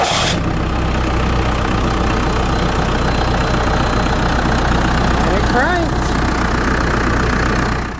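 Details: 2001 New Holland LB75B backhoe diesel, first start after starter replacement and bleeding air from the fuel filter and line: new starter gives a high squeal while cranking, then a steady, even rumble with a faint thin whine; healthy start.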